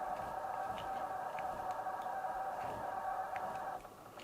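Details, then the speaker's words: Coolmoon Crystal Diamond 12cm ARGB budget PC case fans on the included hub controller at low speed: steady buzzy mid-pitched hum that then cuts out, one fan keeps running; owner suspects a quirky, possibly one-off controller. "can't deal with that noise so there's definitely something a little bit quirky about this controller"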